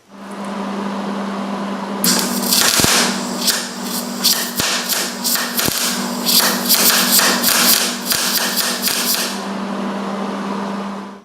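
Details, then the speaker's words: MIG welding roll cage tubing with heat turned up and wire speed way down: a soft hissing arc with only scattered pops over the welder hum, not crackling enough; nice-looking puddle but poor penetration into the base metal. "Alright, now you can see that one's a much nicer puddle, but if you listen to it, it wasn't crackling enough, so you're getting more heat into the puddle that you're trying to work across than you are into the base metal, which creates for a nice looking puddle, but poor penetration."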